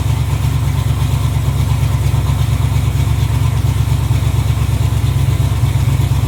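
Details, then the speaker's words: 1986 Camaro Z28 350 small-block V8, previously backfiring for the last owner, first run off the tank on a new fuel line with oil pressure and charging: deep even burble, steady lope, no knocks or ticks; healthy idle. "All right. That's idle. I don't think there's anything wrong with this motor. It's running off the tank."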